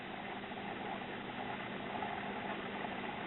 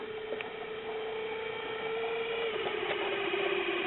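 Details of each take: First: Caloric/Whirlpool stove clock timer motor, about 25 years old, after repair with the motor oiled: only a soft, steady low hum with no scraping or chatter, now running quietly. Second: Caloric/Whirlpool stove clock motor after about 25 years: thin wavering mid-pitched whine with faint rattly ticks; owner suspects a dry bearing.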